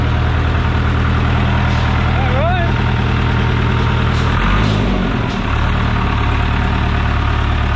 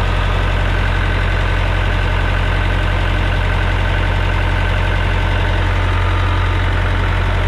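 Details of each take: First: John Deere 455G diesel, cold, firing up after the ground at the flywheel housing was cleaned and the starter sorted: deep, even idle with a steady low throb and no misses or knocks; running healthy. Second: John Deere 455G diesel crawler loader revved up with transmission shifted to second: steady even rumble but no drive, only neutrals; transmission suspected faulty.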